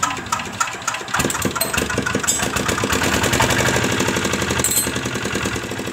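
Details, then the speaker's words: Dompeng R180 single-cylinder diesel with low compression and air bubbles in radiator water, hard to start: fast hand cranking with uneven chugging building as compression catches after the decompressor is released. "Hai sekarang saya akan coba pakai teknik mengengkol dengan lepas close tapi engkolnya tetap jengkelnya teman-teman"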